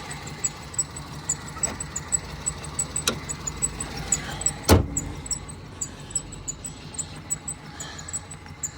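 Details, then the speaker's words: Cheap used car that was bought with running issues, idling: lumpy with a regular thump about three times a second; misfire from lost compression on cylinder 2, engine knocked. "it's lost compression on cylinder 2 it's it's knocked basically"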